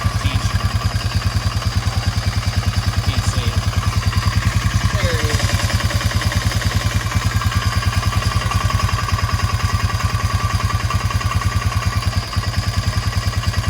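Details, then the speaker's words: Honda Fourtrax 300 ATV idling after new exhaust install: quick even tick, about three per second, over firing beat; owner suspects cam chain or tensioner, may remove cylinder head to replace them, unconfirmed. "But I may gonna have to actually take this cylinder head off to replace the cam chain and the tensioner."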